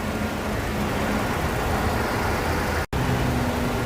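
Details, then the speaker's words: Older Mercedes-Benz engine idling just after an oil and filter change with about 5.5 litres of Liqui Moly 5W-40: steady, even idle rumble with no stumble or flutter, running smoothly. "ปูถ้าฟังจากเสียงเครื่องอย่างงี้ถือว่าเครื่องยังเดินเดินเรียบอยู่มั้ยครับมีครับอ่าถ้าเครื่องเดินไม่เรียบมันจะมีปมันมันจะฟ้องมันจะสะดุกนิดๆมันจะเหมืออาการกระพือกระพือใช่ครับใช่มั้ยอันนี้ฟังแล้วไม่มี"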